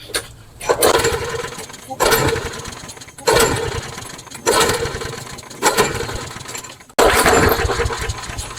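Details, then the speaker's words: Craftsman mower: six pull-starts about every 1.5 seconds, each sputtering briefly then dying; won't start or keep running on its own. "No, it doesn't. It won't start on its own."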